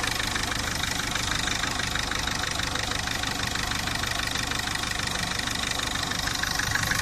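Steady idle with a quick, even tick about three per second over the engine hum; the source of the noise is unknown.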